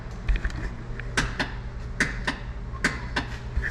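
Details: 2026 Can-Am Defender HD11 with fully charged battery: sharp single clicks about every half second on pressing start, no cranking; failed starter relay, part 278003012.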